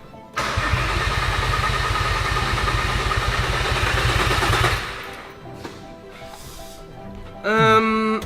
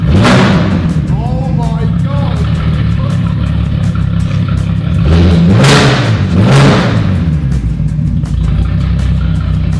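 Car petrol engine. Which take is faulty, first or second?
first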